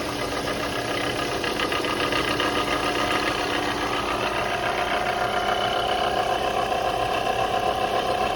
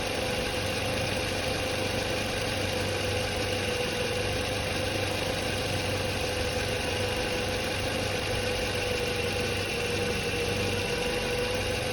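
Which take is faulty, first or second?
first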